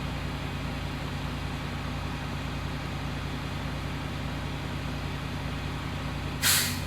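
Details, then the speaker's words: Diesel truck during a CDL pre-trip brake test, RPM raised to build air pressure. Steady idle, then a sudden short hiss near the end as the air compressor relief valve pops off; normal. "I raise my RPMs up so that I build up air pressure quicker, waiting for that relief valve to go off."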